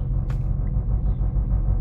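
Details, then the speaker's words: 2009 Chevrolet Aveo, Daewoo F16 engine, cold start after a no-start: plugs cleaned and gapped, engine temperature sensor replaced, rpm sensor cleaned; starts on first crank and settles into a steady, smooth, even idle. "vehículo arrancó en el primer trazo cosa que eso no lo estaba haciendo"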